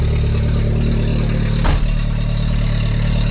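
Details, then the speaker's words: VW Mk3 at idle after a temporary exhaust repair: steady idle with raspy, uneven puffing over the engine note; much quieter than before but exhaust still leaking, a flexible exhaust pipe section is suggested as the proper fix. "again it's definitely not fixed but hey [Laughter] that is way better it's definitely not perfect but hey it's so much quieter than i expected"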